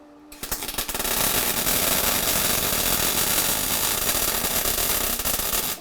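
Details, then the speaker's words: MIG welding a BMW E36 differential; crackling arc with irregular popping breaks instead of a smooth continuous sizzle; weld stutter, possibly wire speed too low or torch held too far away. "you want a really nice sizzle that like a little bit of stutter that you can hear there is basically potentially either the wire speed isn't enough or you're standing a little bit far away"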